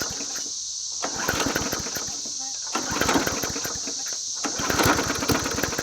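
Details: Huskee 22-inch push mower, found muddy from a ditch, running on a straw-fed prime with spark confirmed: small single-cylinder pops and sputters in ragged bursts, firing drops out twice briefly then catches; intermittent cutting out, cause unconfirmed.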